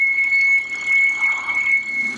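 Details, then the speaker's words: BMW B58 six-cylinder turbo (2017+) with exhaust smoke and rough idle: thin steady high whistle over a quiet engine from a failed crankcase vent valve built into the valve cover; valve cover assembly needs replacement. "so what's causing the issue on this car is actually a bad valve cover a crankcase vent valve that's built into the valve cover assembly and it does need to be replaced"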